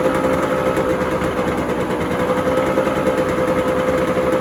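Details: 1990 JDM Honda NSR250 two-stroke, first start after months of rebuild work: buzzes at a fairly even fast idle with a crisp ringing tone and no knocks; normal running.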